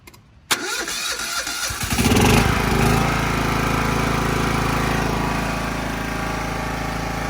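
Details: Classic Husqvarna lawn tractor started by jumper wire bypassing the faulty key switch: starter whirrs about a second and a half, engine catches and settles into a steady even idle; normal start and idle.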